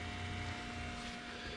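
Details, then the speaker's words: Supercharged 2013 Toyota Tundra with TRD supercharger and smaller pulley, 59,000 miles, at key-on with engine off: quiet, steady electric hum of the water-to-air intercooler heat exchanger pump running normally. "and then you can hear keys on so you can hear the the heat exchanger water air intercooler pump running that's that"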